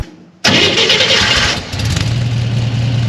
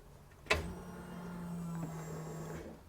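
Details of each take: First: Flood-damaged Corvair on a new custom fuel injection system: it flares after a brief crank, then settles to an even idle of about 1,000 rpm, running slightly lean per the air-fuel readout. Slightly high idle after start-up. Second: Flood-damaged Chevrolet Corvair with new custom fuel injection and stainless PTFE braided fuel lines, before first start: a click, then a steady low electric hum for about two seconds before stopping; normal fuel pump prime.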